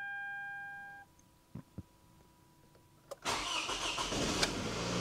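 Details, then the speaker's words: 2009 Toyota Camry with a recurring cylinder 2 misfire code felt under load, plugs, coils and coil pigtails already replaced; short crank with unevenly spaced pulses before catching, mechanic suspects a compression issue, unconfirmed. "whenever I first crank it to me it sounds like it's got like a compression issue"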